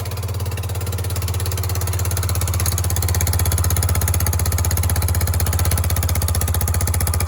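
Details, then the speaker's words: Yamaha YBR 125 Custom single-cylinder idling after an accident: steady low pulses about four per second with faint puffing; still a little blowy at the bottom exhaust joint, suspected to need a new gasket. "Yes, there's a little bit blowy at the bottom still. So we might need a new gasket there."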